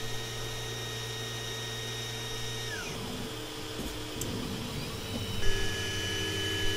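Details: Longer LK1 / Alfawise U20 3D printer modified to run quieter, microphone at a ruler's length from the centred head: low fan hum under steady stepper tones sliding in pitch as moves change; normal printing.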